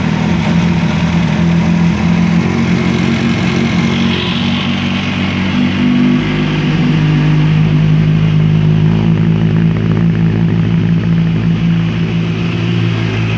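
Sport bike idling then revving, a low steady drone rising and falling with throttle; an odd extra noise is there, but the source is unclear.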